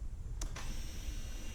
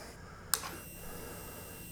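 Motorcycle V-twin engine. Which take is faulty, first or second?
second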